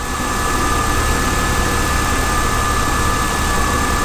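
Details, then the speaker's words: BMW E30 after a cooling system flush, refill and burp: smooth, even idle with a steady low hum and a faint whine on top, no misses or knocks; engine running well. "this is the the definitive proof that she's running well"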